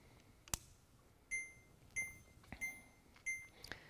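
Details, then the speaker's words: Ghost V3 camera stabilizer powering on via the rear power switch: short high beeps about every two-thirds of a second over soft clicks as it calibrates, then motors engage; normal power-on beeps. "takes just a few seconds to start up you'll hear the initiating beeping and then after that sound your ghost is fully powered and you can see the motors have engaged"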